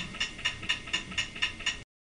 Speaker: not you hear that the clicking the clicking that's not a good thing then there's the cycle click I've actually had cycle clicks before